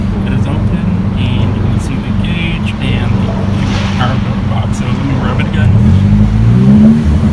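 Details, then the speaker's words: Saab 9-3 with a knock-off rev-limit box (PQY Power Builder) wired in on a switch, set to about 3000 rpm, exhaust cutout open: uneven, lumpy, stumbling idle, feels like running on three cylinders. Rough running; owner suspects the box, unconfirmed. "uh this did something to my car it feels like it's running on three cylinders right now"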